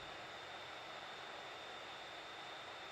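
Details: Hot air rework station set to about 400 at medium airflow, held at a distance over a fluxed WiFi chip on a Nintendo Switch stuck at the boot logo: steady airy hiss with a faint high whistle, no pulsing. The station is running.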